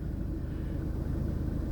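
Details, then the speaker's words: Jeep that sat since October, just started on its own battery: the engine settles into an even, low rumble with no ticking, knocking or stumbling. A healthy idle. "I can't believe it started I thought for sure that battery would be Stone dead but started right up"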